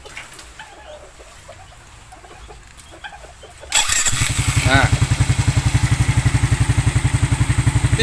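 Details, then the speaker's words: Smash motorcycle after fixing weak, delayed electric starter (starter motor magnet broken, reversed rotation after new part corrected): quick starter whir, engine catches in under 5 seconds and settles into steady even idle. "kurang dari 5 detik itu sudah langsung nyantol, langsung creng."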